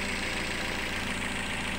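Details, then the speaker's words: Toyota Yaris after repair of a rough-running engine, which turned out to be a timing fault: a steady, even idle with a smooth hum and no chain rattle or ticking. It is healthy now. "sudah selesai untuk perbaikan totayaris yang mengalami suara kasar kita eh sudah beres ya teman-teman"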